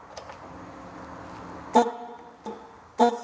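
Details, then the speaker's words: Vespa Sprint/Primavera with a newly fitted 136 dB horn, tested through a relay: three short blasts with a harsh rattly edge because the horn body rubs on the scooter frame and needs repositioning; horn rubbing on frame. "that noise the noise isn't all that nice because we need to move the position of the Hornets and I see it right from behind here it's rubbing on the frame of the scooter"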